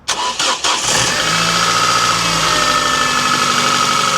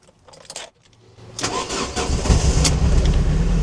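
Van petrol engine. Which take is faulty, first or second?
second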